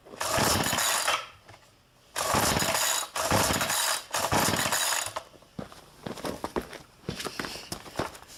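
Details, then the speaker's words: Cold start attempt: repeated one-second rasping starter-cord pulls with pauses, engine never catches; hard cold start. "all right servers count how many times I had to do that huh oh she's still down"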